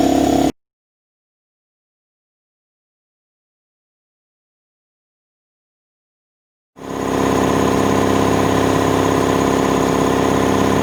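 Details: New Draper 150L belt-driven 2.2kW 10-bar air compressor building pressure from empty after its run-in, with a steady even pumping beat and hiss. It reached 10 bar and cut off correctly in exactly 5 minutes. Runs normally.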